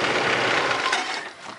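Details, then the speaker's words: 2001 Chevy Blazer Xtreme, warm at operating temperature, cutting out and stalling: steady running dies within about a second when the coolant temperature sensor wire is touched, and the temp gauge jumps. Shorted sensor wiring harness, sensor already replaced. "soon as I touch the wire it totally dies oh and you can see where the Tempe ages that now way off so this has been a problem"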